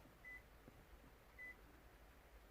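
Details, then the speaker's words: Toyota RAV4 with keyless entry and start not working. The buzzer gives three short high beeps confirming the key at only one antenna; the others stay silent, so the system isn't detecting the key. "Don't know if you can hear beeping. It's the only one that works. Tried all the other ones and now it doesn't beep. So basically it's not seeing the key by the looks of it."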